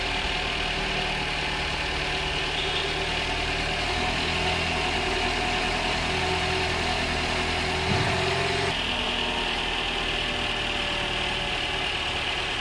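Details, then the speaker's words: High-mileage Toyota, over 300,000 km, after second engine flush with new filter and oil: steady, even idle, smooth hum, no top-end ticking or tapping; top-end noise massively reduced. "And as you can hear there, there's been a massive difference in the noise on the top end of this. It's completely reduced it."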